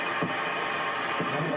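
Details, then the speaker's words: Guitar pedal board chain with a second distortion pedal and a newly wired power supply. A constant hiss with a soft throb about once a second. Excessive noise of unknown cause; the owner suspects how the pedals are connected. "That's super noisy, and I don't know why. It must just be how these pedals are connected, because that distortion usually isn't that bad."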